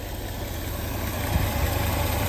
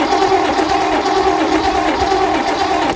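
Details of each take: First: 1967 Lincoln V8 after valve lifter replacement, once lifters pumped up: deep, even idle with a smooth steady beat and no ticking from the top end where the loud lifter tick was before; a fainter driver-side lifter noise is reported. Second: 1967 Lincoln engine first start after reassembly with a new valve lifter: loud rapid clatter over the running engine, stops then restarts still noisy, as dry lifters pump back up with oil; lifter clatter on start-up.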